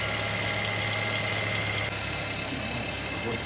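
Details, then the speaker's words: Geely Coolray BHE15-EFZ engine at 22,000 km, after a timing chain replacement for a knocking chain: smooth, even idle with a steady hum and no knocking or rattle, normal idle. "Заводим, проверяем. Угу. Ну, работает."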